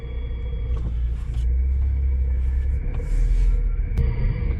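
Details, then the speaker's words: 2006 Nissan Altima with thumping brake complaint, chassis-ear microphone 1 while braking on the road: low steady rumble with light brake rub, no rhythmic thump at this corner; normal brake noise. "I just hear ordinary brake noise. So I'm going to get it out on the road and we're going to apply the brakes. Sounds pretty normal."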